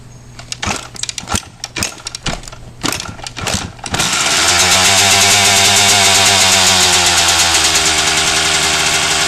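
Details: 1997 RM 250 two-stroke after its dented header pipe was pulled and repaired. Several kick-start strokes with choke on, then it catches into a crisp, high, steady buzz and starts and runs properly.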